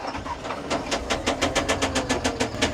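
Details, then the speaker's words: CAT 950M wheel loader diesel with a knock suspected to be a rod: sharp, even knocks, five or six a second, over the running note. Cutout test: cylinder 3 changed the sound a lot but still knocked, cylinder 5 changed nothing. "We ran the cylinder cutout test. So cylinder 3 did make a big change, but it was still knocking pretty hard."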